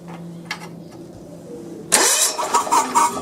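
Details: John Deere 170 with Kawasaki FC420V, weak/no spark fixed with new igniter, coil and plug cap: brief quiet cranking, then the engine catches cleanly and runs with a strong busy beat.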